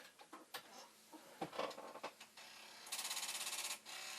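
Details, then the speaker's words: Commodore 1541 disk drive with the head stop loosened, failing to load the directory: scattered clicks, then about a second of fast, even buzzing chatter as the head hammers its stop; the cause is unclear. "Because the thing's going to come crashing back into it."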